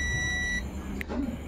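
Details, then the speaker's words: Removed SMD capacitor from Ashley audio mixer (dead, only indicator lit) tested with multimeter continuity: steady high beep, then brief blip when probes reversed, confirming capacitor shorted. "Oke , mari kita dengar bunyi bipnya dan saat kita membalikkannya, alat ini juga berbunyi bip. Itu ada. Jadi, sudah dipastikan rusak,"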